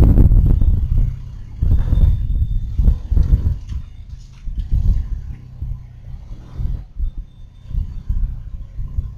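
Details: Rear LSD differential under investigation for abnormal noise. Low, uneven rumbling thumps at about three per second rise and fall with rolling, from the rear axle area; source unconfirmed.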